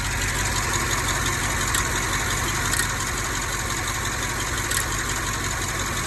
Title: 2010 x6m x5m ticking engine sound misfire